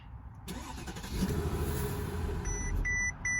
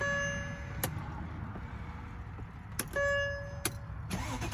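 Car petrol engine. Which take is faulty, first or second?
first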